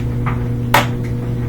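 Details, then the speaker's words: Samsung washer after door lock replacement that cured a DE door error, lock clicking at start: one crisp click over a steady low hum; the lock engages properly and the washer starts right away. "heard that click so that did the trick we got rid of the door error and starts up right away"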